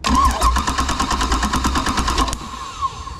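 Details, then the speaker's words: GM 2nd-gen HEI ignition system, 1987–95 GM truck / marine V engine, during ignition diagnosis: even cranking beats about three a second for two seconds, then starter stops and fuel pump cuts off; normal cranking, valid reference signal. "boom fuel pump just cut off i know i've got a valid 0 12 signal here"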